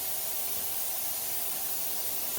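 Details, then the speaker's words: Simadre 5200DX plasma cutter powered on in cutting plasma mode with air source connected: continuous steady air hiss from the torch with no cutting arc; air solenoid stuck open. "it's still fizzing. The air is still going on. You can hear the torch here."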